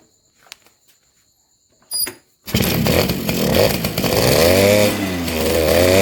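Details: Two-stroke motorcycle engine (Suzuki RC110 / Yamaha Y100 type) after replacing a hardened crankcase seal that leaked on its inner side and prevented starting. After a quiet moment it fires and settles into a crisp, even buzz, revving cleanly. Now runs healthy.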